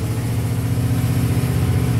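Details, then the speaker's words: Flatbed truck on a drive: it revs past idle with a steady, even drone and no shake. It previously shook above 1000 rpm, never at idle, and now runs far better. "and it runs a lot better than it did before thousand times better no i mean it never shook when it just idled"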